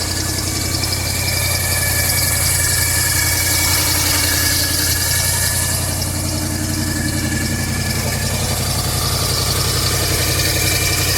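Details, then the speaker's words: 1985 Chevy C20 carbureted truck with new muffler, cold start: steady even beat about 220 per minute at raised idle with no stumbles, blowing some steam, choke now working and holding it high; normal cold fast idle. "It's definitely blowing some steam in it. I think the choke's working now, dude. Sounds like it's up on high."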